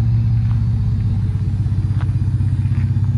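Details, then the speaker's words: 1966 Ford F100 swapped to a Ford Performance Raptor twin-turbo EcoBoost crate engine and 10R80 10-speed auto, with a stainless exhaust and DynoMax mufflers, idling before its first test drive: very quiet, even pulse with no knocks. Normal idle. "So quiet, you can hardly hear it run here. Sounds kind of cool, actually. I'm surprised."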